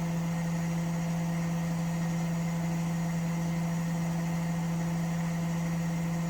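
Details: Washing machine spinning with a steady, even low drone and no knocking or banging; normal quiet spin. Its noise problem was traced to the chassis flexing and cracking at the shock absorber mounts.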